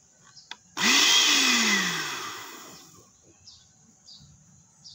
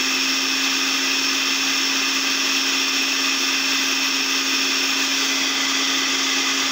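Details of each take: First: Automatic blender with a control module: the motor whirs loudly for about two seconds, then cuts out and coasts to silence; it runs only briefly each time, and the module is faulty. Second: Blender repaired after a faulty module made it run briefly then stop, set to lowest speed: steady high motor whir holding an even pitch for ten seconds, then winding down smoothly. Running normally.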